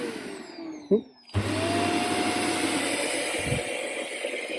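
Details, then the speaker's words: Shark Duo Clean vacuum with a damaged cable, dropping head, no roller action and a flashing fault light: the motor spins up to a steady, even roar with no grinding or pulsing; it smells a little but the motor sounds okay. "stinks a little bit, but it sounds okay."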